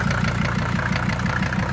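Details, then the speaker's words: Mercedes OM617/616 diesel after replacing leaking fuel injector return lines and fuel filters, given throttle until smooth: even clatter at steady idle with regular firing pulses, no misses or surging, no fuel spraying; temporary side exhaust; healthy. "not too crazy just give it fuel until you hear it uh smooth out there we go"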